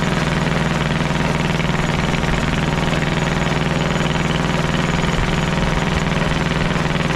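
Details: Caterpillar D8 2U crawler main engine running after its first start, revived after the pilot (pony) motor was sorted: deep, even diesel chug at about two beats per second, no knocks or misses; motor sounds fantastic, healthy normal running.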